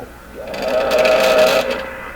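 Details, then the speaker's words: Stewart Warner R514 tube radio during an IF sweep to check IF alignment: rough buzzing tone near 600 Hz swells for about a second and fades, sounding like wild intermittent oscillation in the IF stage; cause suspected, not confirmed. "it really does sound like a wild oscillation in the iaf of this radio and anytime you pick this guy up enough boom"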